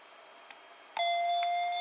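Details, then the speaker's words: Auto soap dispenser at switch-on with batteries running down: a soft click, then one clear steady mid-pitched beep about a second long, the normal power-on signal. "so that's the sound but uh as i say the batteries are running down now"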